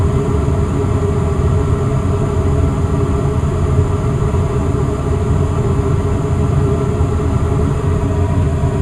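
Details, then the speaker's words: Westinghouse two-stage gas furnace with variable-speed fan motor, thermostat raised to 68 so the fan ramps to high speed: steady, even rush of air with no rattles, scraping or squeal; normal blower operation. "so all right now i can hear the fan go into high speed mode just go to this vent here yeah yeah blowing out some nice heat definitely a great unit doesn't take too long"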